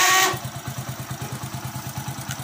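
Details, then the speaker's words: Hero HF Deluxe motorcycle starter: rough, rapid chugging of about nine pulses a second as the self-starter cranks with a harsh grinding noise. The starter motor is noisy and needs repair. "काफी खराब आवाज कर रहा है तो इसको हम कैसे सॉल्व करें"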